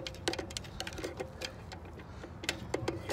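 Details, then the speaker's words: Dexter 5200 lb trailer axle, electric brakes: sharp, uneven clicks about three per second as the brake adjuster star wheel is turned while setting the shoes; normal ratcheting, adjusting so brakes aren't too loose. "just keep dating it here you'll hear it when it clicks you don't adjust these the problem is your brakes it be too loose"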